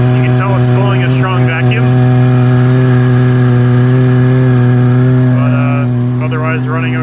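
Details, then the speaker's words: 2015 Subaru Forester FB25 2.5L, DIY Eaton M65 supercharger with capped inlets, bypass open, jumper wire spinning supercharger in NA mode at idle: loud steady high whine over smooth idle, pulling strong vacuum; no noise benefit to this. "I basically concluded there's no noise benefit to making the supercharger bump a vacuum"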